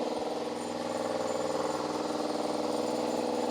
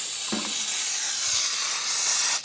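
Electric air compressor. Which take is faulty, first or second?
second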